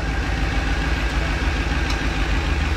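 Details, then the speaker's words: 2010 Ford F-150 pickup idling after lower steering shaft replacement and maintenance: deep, loud, slightly uneven rumble with raw unmuffled exhaust note; exhaust pipe broken, owner says it needs fixing, no oil leaks found. "got to get that changed either way I got to get that exhaust fixed but sounds good make sure nothing's leaking"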